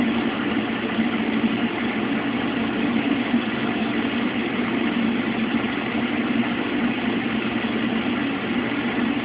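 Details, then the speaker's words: Mueller Special washer, first rinse of two with a big duvet, high water level, no spin between rinses: steady, even churning hum without knocks or scraping; any electrical buzz is a nearby lamp. Normal rinse agitation. "As you can see, the machine doesn't spin between rinses, but in this machine it's not a problem. First rinse."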